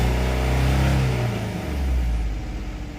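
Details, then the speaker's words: Engine won't take throttle: floored at wide open throttle, the low drone stays flat and sags instead of climbing; two dead cylinders, belt squeak cured with dressing, new coil fitted; cause found to be a fried PCM. "So, it won't take any throttle input. Wide open throttle. It stops like this."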